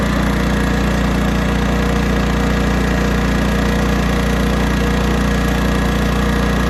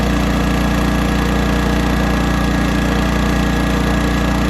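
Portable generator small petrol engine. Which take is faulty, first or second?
second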